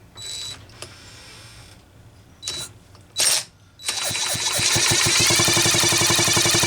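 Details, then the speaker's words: Homelite Super XL-925 chainsaw with capacitive discharge ignition, pulled over during ignition diagnosis: a few short bursts, then quick, regular spark snapping. The ignition is now sparking normally, though debris may be altering the spark path. "now if we don't have spark this time I might be in being a camper phrase that I will be an unhappy camper some sort of debris in here that's altering the spark path but I can sure hear it's snapping"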